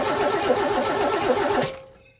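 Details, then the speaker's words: Mercedes W123 coupe, long-abandoned classic, cranking with a cleaned injector taken from a donor 280 E; even starter churn about six compression beats a second for under two seconds, no firing, since none of the six donor injectors worked. "we tried all six injectors from the donor car and none of them work"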